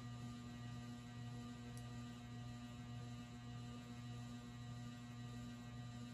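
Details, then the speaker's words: Rare late-1970s/early-80s ERS American Art Series ceiling fan at an intermediate speed: steady low electrical hum with a faint throb over quiet room noise; the motor always complains at this speed but becomes silent at full power. "let's turn this up a bit and now you can see it's complaining even more it always does that for whatever reason so i'm not going to run it on this speed too long just because of that"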